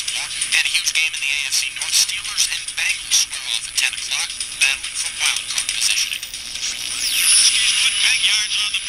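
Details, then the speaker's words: Homemade one-tube Armstrong regenerative receiver: thin, tinny voice of a distant news station, possibly 1,000 to 2,000 miles away, comes through steadily with light crackle and no howl; normal reception. "I just get various news stations. Uh some of them are like from like thousand to 2,000 miles away."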